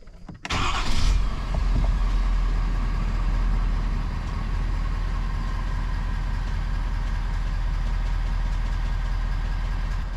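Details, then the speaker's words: 2021 Ford F-250 6.7 Powerstroke diesel after fuel filter change and priming cycles purged air: quick crank, catches cleanly and settles into a steady, even diesel idle clatter; no misses or odd noises. "truck should fire up normally you shouldn't have anything weird going on cuz we purged all the air out of that um filter housing"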